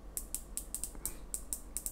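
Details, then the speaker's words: Steeldive 1970 (NH35A) dive watch, 120-click unidirectional ceramic bezel turned: crisp sharp high-pitched ticks, about four a second in uneven groups, stiff with much resistance; normal healthy ratchet click. "quite high pitch click quite a lot of resistance in this one actually does take a bit of a push"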